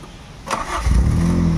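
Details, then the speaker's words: Toyota Corolla GLi 4A-FE engine, treated for rough idle, low power, unstable rpm and low fuel pressure, with all parts refitted, cold start; a short crank, then it catches on one click and settles into a steady, even run with cold-start idle. "one click agad start agad start pa yan o call start pa yan start niya pa yan"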